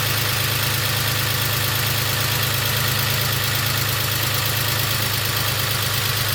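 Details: BMW X5 with freshly rebuilt M54B30 inline-six, after a few heat cycles: smooth, even idle with a steady low hum and no ticking or knocking. Owner says it sounds pretty much perfect, no extra noises.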